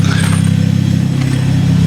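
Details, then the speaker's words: Ford Focus ST/XR5 Turbo, small revs: deep rapid throaty puffing from the front, nothing from the back; downpipe coming off the turbo, bolts missing. "I give it a quick little small red you can hear just wall coming from the front here yeah so I did have a look at it yesterday so the exhaust actually is coming off on the turbo"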